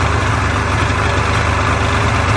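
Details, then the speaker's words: Polaris Indy Trail two-stroke snowmobile after carbs were rotated and cleaned in place to fix bad-fuel running, idling untouched right after starting: steady, even, fast buzzy idle with no stumbling; normal idle. "Not touching anything, and she's idling away. Didn't have fuel in the carbs, nothing."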